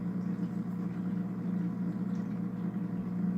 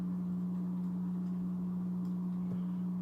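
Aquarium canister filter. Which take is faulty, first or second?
first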